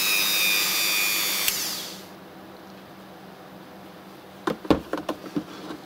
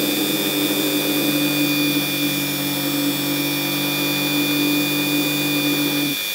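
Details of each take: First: RYOBI engraver rotary tool: high, steady whine with no rattle or wobble, then it stops. Vibration acceptable overall; only one part of the body vibrates at max speed. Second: Ryobi rotary engraver (гравер) laid on its carry case to show drive vibration: steady high buzz with low hum rattling through the case until switch-off near six seconds; noticeable drive vibration.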